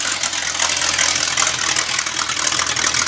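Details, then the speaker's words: Rebuilt small block Chevy V8 for a 1974 Corvette, already broken in, idles loud and even with steady rumble on a portable engine test stand in a resonant shop; no knocks or misses; normal idle. "hopefully you get a concept through the microphone of what it really sounds like because it's quite loud in the shop and it resonates pretty good"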